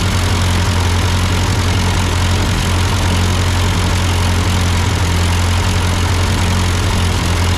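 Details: Ford 8N tractor idling after an amateur carburetor adjustment. Uphill sputtering had been traced to a cheap Chinese replacement carb; an old Marvel-Schebler ran fine. Low, even thumping idle holding steady with no stumble or hunting; a normal idle.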